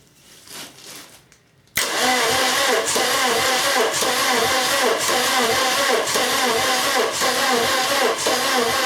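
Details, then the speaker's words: Swapped-in VW TDI engine in a VW camper, first cranking after fitting the dual-mass flywheel: starter turns it at an even rhythm with no electronics connected and no diesel, so no injection control and no start. "there's no electronics connected to this engine whatsoever there's no diesel of it"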